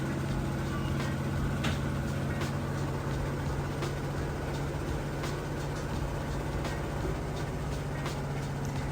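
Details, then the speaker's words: Samsung VRT (vibration reduction) HE washer, fully tested and working, spinning near full speed during the first spin: a steady, even low hum with no knocking or scraping. The faster spin extracts more water. Normal spin cycle. "Part of that HE designation is how fast it spins during the rinse and final spin. The faster it spins, the more water it extracts out of the clothes."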